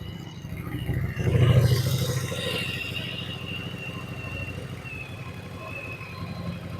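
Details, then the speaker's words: Yamaha Virago 1100 V-twin after carburetor synchronization and lowering the idle speed: brief blip, then a low, steady, even thump at about three beats per second. Normal idle; small popping explosions are attributed to a removed part. "ok I think that I think that it turned out well there because nothing we have synchronized the carburetors"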